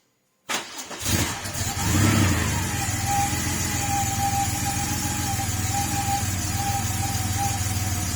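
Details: Porsche 930 Turbo, on its first start after fitting a RothSport oil inlet check valve: the starter churns, the engine catches and flares, then settles into an even idle with no smoke. This is a healthy cold start.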